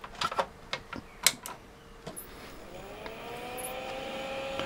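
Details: Commodore Amiga A4000/040, annual power-on test, with original 1992 hard drives: a few sharp switch clicks, then a smooth whine rising steadily in pitch and settling into an even hum, a healthy drive spin-up.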